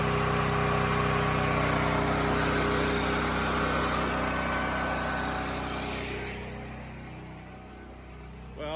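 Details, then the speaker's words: Near-new generator after carb clean and pilot jet enlarged to 0.018 in (previously hunting badly, still hunting at 0.013): even steady drone at one speed, no surging or hunting; steady running, still to be verified. "i'd say that's a win but we still got to verify it's doing what it's doing"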